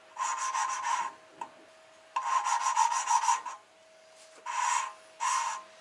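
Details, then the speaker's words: Hand-lapping a valve into the head of a forged RB25DET engine (R32 GTS-t Skyline) with compound: bursts of gritty rasping strokes that even out between pauses; seat shows smooth, even dull shine all round, sealing faces smooth. "Sounds pretty smooth. So wipe that off. See here a smooth dull shine all the way around."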